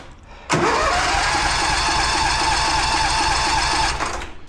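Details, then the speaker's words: John Deere, cold start after sitting since last fall, gas just turned on, possibly flooded: starter churns steadily about three and a half seconds without catching; cranks, no start; spark plugs or choke suspected, unconfirmed. "here we go wowe she don't want to go it at all now H probably should look at a plug or two here"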